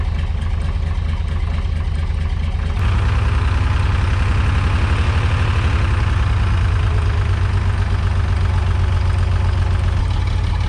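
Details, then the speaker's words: Off-road crane diesel, recovered after tipping over when its engine quit on a hill, thrums low with irregular stumbling beats; running rough, too weak to drive itself but able to work the crane, owner says it needs a new engine. "the engine's not running right it needs a new engine it's only doesn't even have enough power to drive but it has enough power to use the crane at least"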